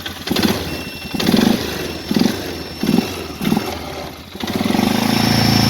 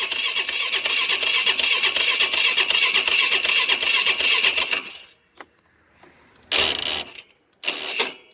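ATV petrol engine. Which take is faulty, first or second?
second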